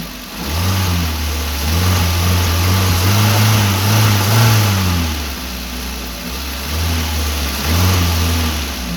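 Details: Maruti Wagon R after air filter and filter case replacement: revs climb and fall cleanly through several blips back to a smooth idle, with no odd noise under acceleration, so the earlier acceleration sound is fixed.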